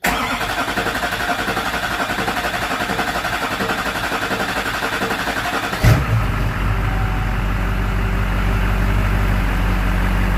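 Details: Duramax LB7 diesel first cold start after installing new injectors, no boost pipe fitted, fuel primed by hand pump: short hard crank, catches and settles into steady even low idle with usual injector rattle; normal.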